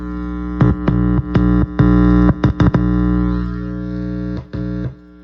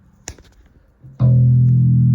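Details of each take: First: Sterling by MusicMan Ray 34 bass with stock preamp through an amp: steady hum with sharp crackles and dropouts when the metal parts are touched. Cause is a loose ground wire; grounding it to the jack's ground wire removed the hum. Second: Sterling by MusicMan Ray 34 bass, stock preamp: hum when touching metal parts cured by grounding a wire to the input jack ground; quiet clicks then full steady bass note with no hum.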